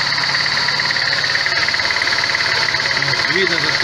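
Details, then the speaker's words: VAZ 21099, warmed up. The uneven idle stumbles steadily three or four times a second under a constant whine, and engine speed hunts. The engine shakes and has lost power. The cause was found to be no compression in cylinder 3. "Видно, как трясет мотор. Значит, греется. Итак, троит двигатель, дергается, пропала мощность."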